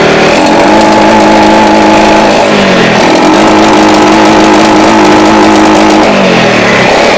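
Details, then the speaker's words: Jupiter Z motorcycle revved hard under full throttle: exhaust pops and crackles with misfire from mid to high RPM, idle normal; bike lacks power, new spark plug, carburetor probably disassembled before, air filter box removed for testing. "Oke, di RPM ini di tengah ya. Ini mulai ada berbetnya. Bisa dilihat ini knalpot nembak-nembak."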